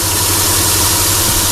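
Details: Chrysler Sebring idling after repairing a 3-tooth valve timing jump; slight tick sometimes while warming up, otherwise steady; oil leak being traced. Short, even, smooth idle with no ticking, knocking or stumbling; healthy.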